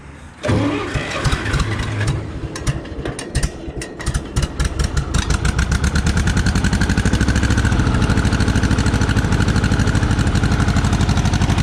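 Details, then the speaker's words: Hobby farm tractor with carburetor, started day after a fire: cranks and catches, then lumpy uneven idle with irregular beats, smoking badly; owner thinks it runs on three cylinders, suspected misfire, cause unconfirmed. "yeah like 20 run it on three cylinder smokes badly but yeah so it's running and I'm running good but it's running and no more fires today"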